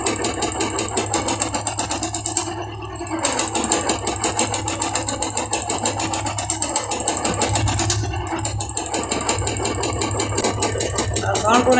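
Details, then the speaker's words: Royal Enfield Classic 350 single running: rapid metallic knocking over the exhaust beat, keeping time with the engine; mechanic confirms the connecting rod has worn and is making the noise, engine to be stripped step by step. "तो इसका confirm connecting में हमारा जो current है करेंगे जो हमारा धक हो गया है दोस्तों उसका वेरी गुड इवनिंग में और वो हमारा साउंड कर रहा है"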